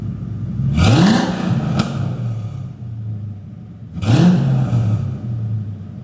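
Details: 2002 Ford Mustang GT V8, LAR X-pipe installed, cats deleted, SLP Loudmouth mufflers, tailpipes unfinished, low idle rpm noted: two crisp rev blips settling to deep even burble, smooth idle between; normal start and rev.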